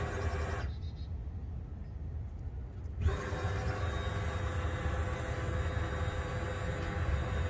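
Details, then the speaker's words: 2012 Dodge Grand Caravan not starting: with a bypass cable across fuse M7 in the TIPM, the fuel pump in the tank buzzes on and off as the cable is plugged and unplugged, so the pump works and a stuck-open relay is suspected. "that buzzing sound is the fuel pump turning on and off so now we know that the fuel pump is good the fuel pump works"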